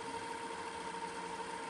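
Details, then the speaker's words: Magnavox DV220MW9 VCR/DVD combo rewinding a tape: a steady high whir, smooth with no grinding or squeal. Speed rises progressively without a gear shift; normal rewind. "let's rewinding right there hear it it just kind of got faster and faster with what I'm hearing"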